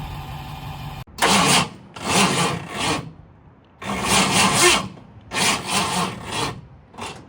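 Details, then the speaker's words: 1960 Ford F-100 barn find, 428 big-block bored 10 over, long sitting, cranked on a jump pack: repeated sluggish one-second cranking bursts; slow cranking, tiring jump pack suspected; valve issue suspected for no-start. "I think the jump pack might be getting tired."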